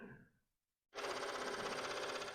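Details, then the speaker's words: Commodore PET 4040 dual 5.25-inch IEEE floppy drive, case open, powered on; fast even buzzing head chatter after brief silence, normal power-on chatter, though the drive is not spinning. "it every does a slight little bit of a chatter it's exactly what it's supposed to do but it sounds good"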